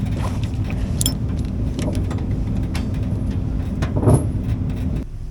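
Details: CAT D7 dozer, diesel, fuel just reached the cylinders: a deep churning rumble while cranking about five seconds without catching; it is trying to fire, and starting fluid is planned next.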